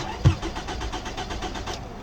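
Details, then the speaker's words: 2006 Toyota RAV4 4-cylinder, good battery, fuel gauge at about a quarter tank: the starter turns the engine over in a short, even churn but it never fires; crank-no-start, fuses checked next. "It won't start. Let's crank it again. It doesn't start."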